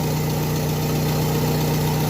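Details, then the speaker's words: Car idling after its burst pulley bearing was replaced, when another mechanic had blamed the power steering pump: steady, even idle with no whine, only a deeper exhaust rumble from a dented exhaust; normal idle after repair. "o problema só o escapamento do meu que tá batida aqui aí faz um barulho mais grave"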